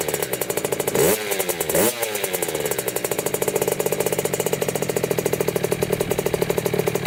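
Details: 2000 Kawasaki KX65 two-stroke on its first start after a full motor rebuild, being warmed up: crisp, even crackle with two clean rev blips and no knocking; it runs strong and healthy.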